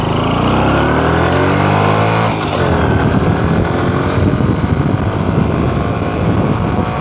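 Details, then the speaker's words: Honda Supra X 125 Karisma, previously weak and unable to climb, road-tested uphill after parts were installed: the engine note climbs and holds a strong, heavier, steady drone under load with no hesitation. Normal hill climb. "di sini suaranya terdengar lebih agak berat ya agak bertenaga tes di pendakian teman-teman let's go"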